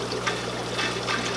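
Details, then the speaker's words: Hang-on-back aquarium filter on a breeding tank, with filter media removed: soft, steady trickle and splash of water into the tank, much quieter, no gurgling or rattling. "there you go water is flowing can hear it I know that you can hear the difference but it's much quieter now"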